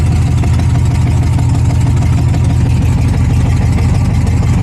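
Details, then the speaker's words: Chevrolet S10 street truck with LS swap and straight headers, idling in neutral: low, even rumble at about three pulses per second, no stumble or ticking, surprisingly quiet; running on all cylinders, normal idle. "Yeah, it's crazy quiet. Do you think it's loud when you rev it. Do you think it's running on all cylinders? It sounds like it."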